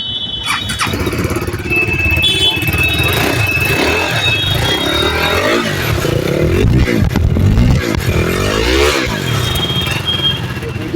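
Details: KTM RC 390 single-cylinder after engine repair of a ticking noise from a worn-through rocker: fires up and revs freely, rising and falling cleanly with no tapping or rattle over the exhaust; healthy.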